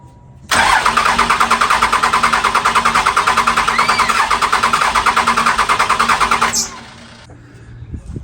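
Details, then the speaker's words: 1995 12-valve Cummins diesel just fitted with 5x.013 injectors and .024 delivery valves, filter primed; starter cranks about three even beats a second for six seconds, no start; cracking lines released air puffs — crank no start, air in fuel lines. "All right, so I tried to start it and it didn't want to pop off. So I just went over here and I cracked all the lines. You know, puffs of air came out of a couple, diesel came out of a couple, and then just tightened them all back up."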